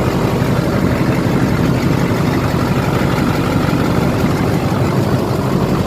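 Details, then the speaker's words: LBZ Duramax diesel truck idling just after installing an HSP turbo mouthpiece; listening for hissing, none heard. Steady, even idle with low rumble, no hiss or whistle from intake: normal diesel idle. "Just listening for any hissing noises. I don't hear anything. Just gonna let it idle a little bit. Sounds good though."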